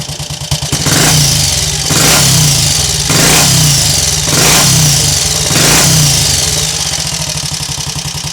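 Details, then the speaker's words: Triumph Tiger Cub Scrambles replica single with recently fitted silencer, now warmed up: picks up crisply on five throttle blips about a second apart and drops back to idle without stumbling; when cold, sudden throttle opening can stall it. "it's warmed up a little as it already has done it's not so prone to cutting out when you open the throttle"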